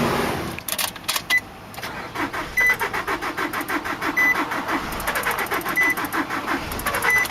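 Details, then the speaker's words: 2003 Nissan Altima 2.5 with blown engine, sitting 8 months, battery boosted; starter cranks in fast, light, uneven beats about six or seven a second with no firing; too little compression to start, flywheel reportedly bad too. ">> UNFORTUNATELY, THIS ONE JUST WON'T FIRE. IT DOESN'T HAVE enough compression to engage."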